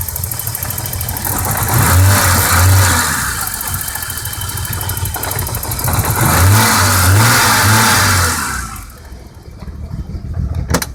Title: 1987 BMW 535is rough idle